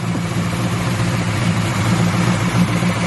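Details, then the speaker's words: Buick Regal idling after start: a faint, light repeating knock over the low engine hum. The owner says it is not the tensioner pulley, which shakes because the wrong belt is fitted and misrouted; cause not confirmed. "See how it crank right up. Yep. Y'all hear that? You hear that little knocking noise?"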